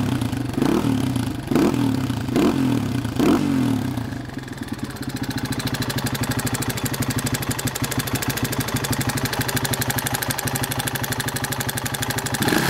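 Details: Masai A450 with engine noise and smoke: a few cranking bursts, then a fast, sharp ticking rattle over the idle at about three beats a second. Abnormal internal engine noise.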